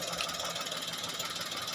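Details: Toyota Agya/Daihatsu Ayla 1000cc idling: steady high rattly whir, first thought water pump, silenced by pressing clutch lever; worn clutch release bearing, often meaning clutch disc thinning too.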